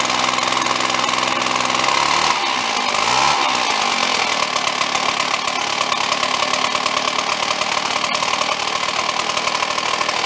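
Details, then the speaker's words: Red Max EBZ7500 commercial backpack leaf blower two-stroke, getting louder over 1.5–2 years: harsh, uneven clatter with a buzzy rattle over the engine. On teardown the cooling fan was found loose on its mount. "well what were we talking about look that Fan's loose let's go get one bolt out of it see if they're tight or not"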